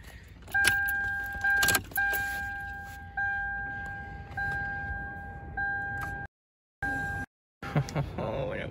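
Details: Lexus LS400 power tilt steering column after greasing the worn, weak motor's gear teeth to fix a grinding noise: short runs of steady electric motor whine at one pitch, though the motor still overheats quickly.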